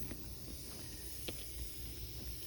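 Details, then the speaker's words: Homemade boost-controlled fuel valve for a turbocharged bike carburettor, bench-tested on air near 10 psi: faint, steady high hiss of air leaking past the valve pin, which in use feeds air down the tube to the carburettor. "you may be able to hear it but there's quite a bit of air actually leaks past the pin which would in use be leaking down this tube here going to the carburetor"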